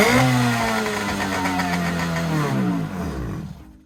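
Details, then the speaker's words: Kawasaki JS440 two-stroke jet ski after replacing crank seals and a bearing: crisp high buzzing rev winds down smoothly and cuts off cleanly, healthy running, starts right up. "So guys, there you have it. Tank's in, everything's on, and this thing runs pretty good. Starts right up."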